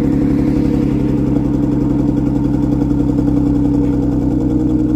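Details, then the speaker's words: Six-cylinder car "Bullet" on cold remote start running on five cylinders from an inoperative cylinder 1 injector, later repaired by a shop: uneven, loping idle with a steady stumble each cycle from the dead cylinder. "all right so this is going to be the five cylinder cold start so you can hear what i've been driving around with for the last week"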